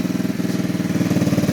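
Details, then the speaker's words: BD125-2 125cc Chinese cafe racer motorcycle, started right up: quick, even lawnmower-like putt-putt at idle, about fifteen pulses a second, steady with no skips or knocks; the small single idles healthily. "Sounds like a little lawnmower, but it's not bad."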